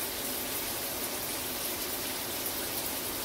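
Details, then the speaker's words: RV water heater in a 37 ft Cedar Creek fifth wheel, refilling after anode rod replacement: even, unbroken rush of water with no spitting or surging once air is purged, run steady about a minute; steady water flow. "if it runs pretty steady for about a minute or so i think that's good for me of course you may feel more comfortable doing a little longer but"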